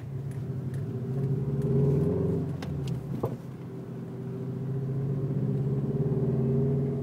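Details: 2005 Subaru Legacy GT: engine hums steadily while scattered sharp clunks and knocks come from around the driveshaft: driveline clunk.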